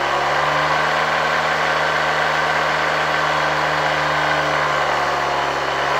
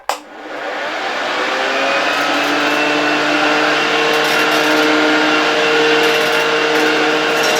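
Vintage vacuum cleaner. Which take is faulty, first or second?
first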